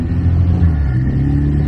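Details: Honda S2000 with a turbo, out of storage: a deep, smooth, steady rumble with no pops, clunks or shudder; the drivetrain sounds healthy.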